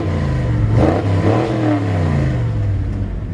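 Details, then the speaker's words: 1984 Chevy K5 Blazer Silverado with rebuilt transmission, in neutral at a stop sign, given a couple of quick revs: deep V8 rumble rising and falling with a loud, mean exhaust, clean and even, sounds healthy. "it's got a mean mean sounding exhaust and we stood outside and check the turn signals my wife and I did the other day"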